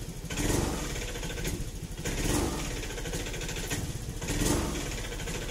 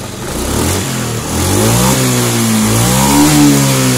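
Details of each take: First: Honda Scoopy injection scooter, starter and MIL fine, stutters when throttle first opens: four rough hesitant revs. Possible causes: spark plug or plug cap, dirty idle/air screw or throttle body, fuel pump/injector, ECM reset, TPS adjustment. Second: Honda Scoopy fuel-injected scooter, which hesitated on throttle, after adjusting the TPS sensor position: the engine revs up and settles smoothly, pitch rising and falling evenly with no stumbling.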